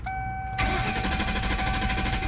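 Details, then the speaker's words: 1995 Lincoln Mark VIII after winter storm, owner diagnosed bad fuel pump: key-on chime, then starter churns steadily for two seconds without catching; cranks but won't start. "after the winter storm thing happened I tried to come out and start my car it wouldn't even start check this"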